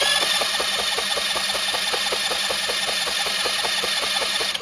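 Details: Dazon Raider 150cc GY6 scooter engine, formerly seized starter freed on the bench, spark present, no fuel system or exhaust fitted, on starting fluid: steady fast cranking with about five even compression pulses a second, never fires.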